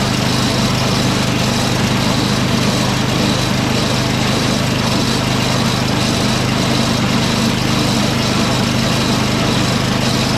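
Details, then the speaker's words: Snowblower engine from an 8HP Briggs swap job (Toro 38150 onto Craftsman 827), electric-started and running at part choke: a steady, even buzzing idle without stumbling or hunting; the engine runs fine, but the transmission is faulty and stuck in gear. "Okay, so as you guys saw, it runs just fine, but the transmission is hinky."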